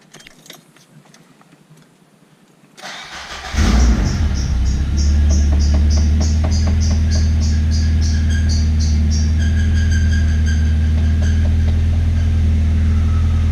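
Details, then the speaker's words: Nissan SR20VE in a B14 running temporary eBay SR20DE headers whose ports don't match the VE head, no O2 sensor: cranks, catches, idles with sharp rapid puffing tick about four a second, exhaust leak at the header joint. "so my having total air leakage from there but other than that it should be fine"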